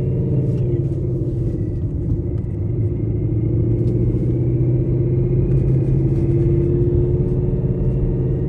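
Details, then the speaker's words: 800 whp Ford Mustang GT with a Calimer stage 3 straight-cut gear transmission, still a little cold, pulling away from a stop in first gear without hard throttle: a deep engine rumble with a steady gear whine on top that climbs slightly with speed; normal. "foreign so you guys heard it you guys heard the gear one it sounds pretty sick and pretty sweet"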